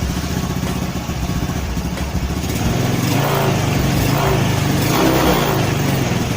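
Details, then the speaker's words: Honda Spacy/Beat carburettor scooter idling before repair; idle drones low, then rises and sags repeatedly without settling, slow to return, hunting from dirty carburettor and misaligned vacuum diaphragm. "jadi dia ini ada masalah gasnya enggak stabil ataupun langsamnya ya jadi coba kita Hidupin dulu [Musik] Oke jadi gasnya besar kecil ya naik turun naik"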